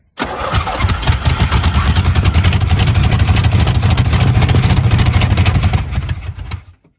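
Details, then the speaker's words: 1970 Chevrolet Chevelle V8 that sat 27 years: catches and runs rough and uneven with irregular heavy thumps about three a second, firing through the carburetor. Ignition timing is way out, not a rod knock; firing order and plug wires checked, timing chain suspected. "day, that the engine's out of time, way out of time. And that's why it keeps firing through the carburetor."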